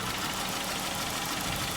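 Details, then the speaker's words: 2011 Dodge Charger 3.6 V6 at idle with a fast, light ticking on top; mechanic suspects a stuck lifter not lubricated due to bad oil and overdue oil changes. "So, first concern and first customer concern is, as you hear, the engine is ticking. So that sounds like a lifter's in there."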